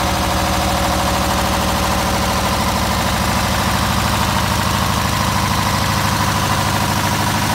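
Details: MEP003A military diesel generator, 900 hours, new oil and fuel filters, fuel system flushed, somewhat hard starting, not producing power (owner suspects voltage regulator): steady, even idle with a regular low thump, no knocks or misses; normal idle.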